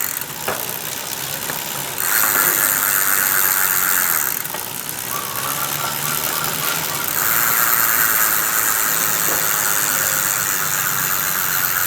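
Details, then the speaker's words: Bicycle freewheel after disassembly and repair, tested from left and right sides: crisp even pawl ticking while wheel spins, no grinding or odd noises; freewheel now normal. "Ini dia kalau dari sisi sebelah kanan kita tes oke sudah normal ya"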